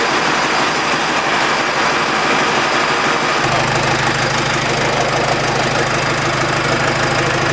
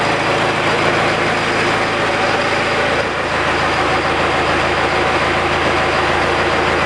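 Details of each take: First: 68 Bronco with 4BT Cummins diesel, right after fitting new liquid-filled motor mounts: idle with uneven, loud chuffing over the clatter. Exhaust leak where the downpipe popped off, not fully locked on; vibration appears much reduced. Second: 68 Bronco with 4BT Cummins diesel at idle after new liquid-filled motor mounts: steady, even, low smooth beat with no shake or knock. Before, the mirror blurred from vibration at idle.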